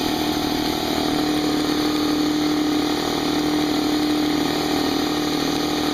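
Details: Brand-new Harbor Freight Central Pneumatic 68127 29-gallon 150 psi 2 hp dual-piston compressor, unloaded 10-minute break-in with tank drain open, still cold; smooth steady mid-tone hum with soft even pumping, no knocks or squeals; normal running.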